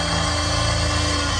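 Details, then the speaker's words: Graham's 4WD on Cape York after many water crossings and mud: a continuous high whirring whine as the starter motor stays stuck engaged without the engine catching, draining the battery until the power is pulled; an electrical smell follows. "That's Graham's starter motor. What happens when you're up in Cape York and doing a lot of water crossings, a lot of mud. There he goes, just ripping that battery straight off. The starter motor's just engaged, it won't stop engaging."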